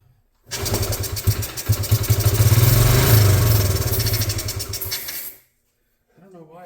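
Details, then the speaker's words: 1986 Honda TRX70, stored for an unknown time, no fuel tank fitted, run on carb cleaner with choke and idle raised 3 turns: the single cylinder pops unevenly for about five seconds, then dies; owner suspects spark loss or improper fuel supply. "Like it loses spark after a second, but it does. I don't know. I want to call this a win. So now I know it will run, but I have to dig into some other issues that are going on."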